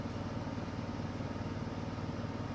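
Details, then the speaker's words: Like-new Samsung front-load washer with a load at top final-spin speed: smooth, steady low rumble at constant speed, no thumping or rattling; virtually no vibration, very quiet and even, normal. "okay this is as fast as it goes it is spinning extremely fast there's virtually no vibration it's very quiet if you across the room you probably wouldn't even realize it was on the spin cycle"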